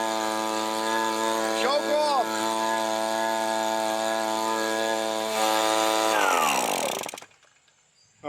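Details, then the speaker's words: Echo PB-265L backpack leaf blower after carburetor rebuild and fuel line repair screams at full throttle, then sags and dies as throttle is pulled back; no idle, runs only at full throttle, cause unconfirmed, new carburetor suspected; stalls when throttle released. "So, as soon as I pull that throttle back, it shuts off."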